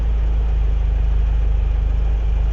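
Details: Renault 17 TS carburetted petrol engine with rebuilt Weber 32 DARA 4T carburettor, idle set by ear after adjustment: low, steady, even idle pulse with no stumbling.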